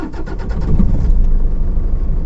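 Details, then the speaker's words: Toyota Innova with malfunction light on and heavy engine vibration: slow cranking for over a second before it catches late into an uneven run, with misfire; faulty injector feed suspected. "अब मैं उसको start करूंगा गाड़ी को start हुई थोड़ी late होती है"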